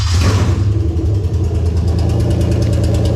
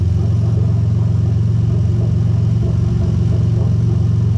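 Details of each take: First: Lexus IS300 2001-2005 UK-harness 2JZ-GE VVT-i engine fitted to an IS200 with J160 six-speed manual and remapped ECU, first key start: brief crank, catches cleanly, settles into even steady idle, no misses or knocks; normal start and idle. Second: Lexus IS300 2JZ-GE VVT-i swapped into an IS200 with a J160 manual gearbox and a remapped ECU. During an active test of the bank 1 VVT oil control valve, the cam is forced heavily retarded. The engine idles lumpy and uneven for six seconds, then stumbles and stalls.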